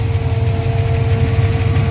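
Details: Mustang engine idling after cold start on new Holley Sniper electric fuel pump (old pump gave 3–4 psi, unsteady) with return-line Holley regulator, constant pressure: steady, even low rumble, no hunting or stumble. Normal idle.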